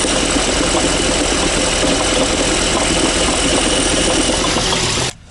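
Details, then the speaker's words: Ford running with clutch pressure plate removed, camera under the car: steady harsh rattling clatter, then cut off; dual-mass flywheel seized, not springy; knock occurred only in cold weather and vanished after about 5 km; dual-mass flywheel rattle. "И я хочу сказать, что такой стук раздавался только в холодную погоду. Например, когда машина прогревалась, вы начинали движение, проезжали около пяти километров, и стук полностью исчезал."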